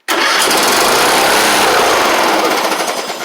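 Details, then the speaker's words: John Deere LA100 riding mower, long-sat, first start after valve adjustment and battery: it fires and instantly flares to a loud, high, steady rev that never settles back to idle. The throttle is sticking open; lubricant is applied. "Wasn't expecting that. I think the throttle's stuck, but uh Whoa, that's kind of crazy. Yeah, throttle just a little stuck."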